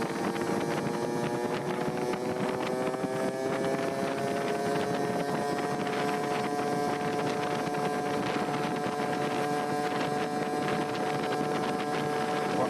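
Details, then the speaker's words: Yamaha QT50 two-stroke moped with Mikuni TM24 carb and new clutch springs, running cooler than before: raspy buzz climbing slowly in pitch under pull, wind on mic; owner suspects it still needs a bigger main jet (210 to try). Possibly lean. "run a lot better than yesterday and a lot cooler than yesterday although I still think I need a bigger main jet I've got a 210 that I'm going to try here we go let's take a listen"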